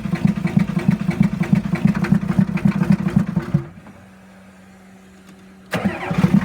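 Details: 1989 Ford F-350 dually, 7.3 IDI diesel, replacement engine at 157k miles, first start after sitting 5-6 years with WD-40 as a starting aid: uneven clatter dies, then catches abruptly; glow plugs going bad and fuel system leak cause hard starting.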